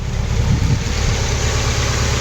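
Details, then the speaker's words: Nissan 240SX S14 KA24DE after removing one timing chain guide, cold day: steady idle just under 1,000 rpm, even low hum, no chain slap or rattle; normal idle after the fix. "Let me see what we're idling at here. All right, so we're at just under 1,000."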